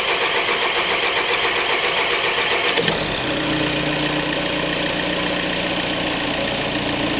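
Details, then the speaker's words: 2014 VW Golf 2.0 TDI EA288 diesel, first cold start of the day before repair (codes P0341/P0016/P0011): prolonged steady cranking before the engine catches and settles to idle, longer than 3.5 seconds. "Well, I'm a bit surprised, guys. It took a lot longer than 3.5 seconds. Seems our symptoms are getting worse."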